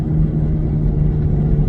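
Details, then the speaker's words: 2003 Pontiac Montana driving at speed: steady low hum over road rumble, louder than tyre tread noise would be, tread looks fine; suspected bad bearing, not confirmed; misfire noted only at idle. "I don't know if you guys can hear that noise, but to me that sounds like a bad bearing."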